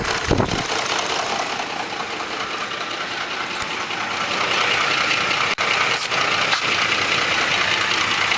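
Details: 2004 Ford F150 5.4L 3V at idle: rapid, uneven ticking and slapping about two or three per second, timing chains slapping against the block from failed tensioners; fixed by replacing cam phasers, timing chains and chain tensioners.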